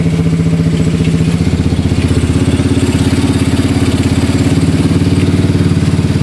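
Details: Yamaha Mio Soulty scooter with 59mm block, previously hard-starting with carburetor overflow: steady, even putter at idle, regular low beat, no knocks or misses; idling cleanly.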